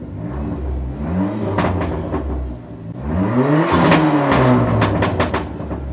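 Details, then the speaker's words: Dodge SRT4 after a temporary free idle air controller (IAC) fix: revs climb on blips, then sink only slowly back from a high idle instead of dropping promptly; before the fix it hung at about 2,000 rpm. "A little two-step. Oh, high idle, coming down slow, coming down slow."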